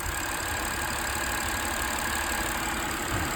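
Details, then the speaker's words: Engine after fresh oil and filter change, about 100 km after valve ticking was noticed: smooth, even idle with fine steady hum and no top-end tapping; ticking gone, engine sounds healthy. "যে শব্দটা শুনছেন ওটা হচ্ছে স্বাভাবিক ভাল শব্দ ভাল স্বাভাবিক শব্দ"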